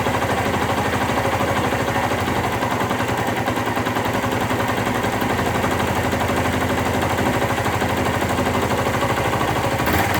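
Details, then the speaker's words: 2001 Suzuki GZ250 single at cold start on choke, lean-running bike; sharp puffing tick on every firing pulse, exhaust leak persisting after gasket replacement, cause still to be investigated. "oh and you'll you'll hear an exhaust leak that I'm hoping to take care of today as well and I changed the gasket but that didn't seem to stop it so I need to investigate that but you you might hear it when the bike fires up"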